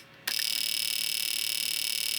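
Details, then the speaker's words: Fuel injector driven by a handheld injector tester after repairing its broken circuit trace: rapid, even train of sharp ticks, steady in rate and strength, output LED flashing; injector pulsing normally, tester works again. "Did you hear that? We are working. And you can see that my output LED is flashing."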